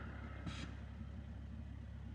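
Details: Car idling with clutch pedal fully depressed after installing a new JWT street clutch and HD slave: soft steady low idle hum with no rattle; normal idle with clutch depressed.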